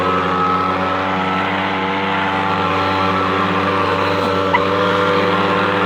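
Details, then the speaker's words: Echo PB-250LN handheld two-stroke leaf blower after fuel line repair, owner questions whether it blows strongly enough: constant, clean buzz holding one pitch without sagging; runs well once warmed up after about a minute. "now I never saw it running before I repaired it but I know what's running now it takes that first minute to to get warmed up and then it runs pretty good"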